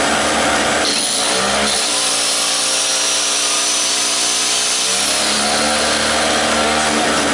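High, buzzy two-stroke drone with revs dipping and recovering once, then settling steady; the small generator engine is running fine.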